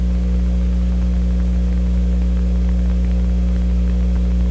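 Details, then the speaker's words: Sparton 1567 tube radio at first power-up on restricted supply of about 95 volts: loud steady low hum with faint crackling static, source of the static unknown; the hum is expected to be stronger at full voltage. "I don't know what the static is and I'm sure why there should be any static married"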